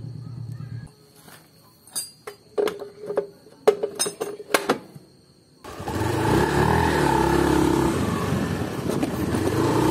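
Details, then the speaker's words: Honda Beat FI scooter after CVT repair for clicking under acceleration at about 30 km/h (rear pulley blamed; new parts fitted): a few handling clicks, then a smooth even drone with no clicking under throttle; slight bearing-to-shaft play judged tolerable. "sudah tidak ada kendala lagi pada suara dan tentu pula tenaganya lebih enak gas-gasnya lebih enteng adanya Space antara laker dengan AS nya sedikit tadi itu masih bisa ditoleransi tetap masih halus tidak ada suara bunyi krek"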